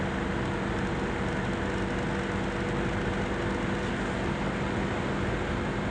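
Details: Loud steady rushing hum with a fixed low drone and no speed change from the CPU fan of an Asus laptop; fan running noisy, cause unclear.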